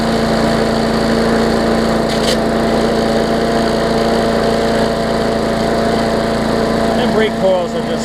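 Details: Bolens push mower with a Briggs OHV engine, after fitting the correct spark plug and replacing the missing carburetor jet ball plug: steady, even drone at constant speed with no misfires or surging; runs smoothly.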